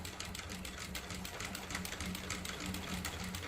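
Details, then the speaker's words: Sewing machine with size 16 needle stitching thick cloth (nine to ten layers), using soap and machine oil on the fabric to prevent needle breakage: quick even stitching around three per second over steady motor hum; normal sewing. "तर हे पहा एकदम छान आणि सविस्तर कपड्याला टीप बसत आहेत."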